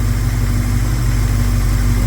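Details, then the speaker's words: 1971 Plymouth Scamp V8 idling after vacuum leaks plugged, timing unchanged: deep, even burble with no stumble or skipped beats; running very smooth. "I just installed 40 cubic in it's running very smooth"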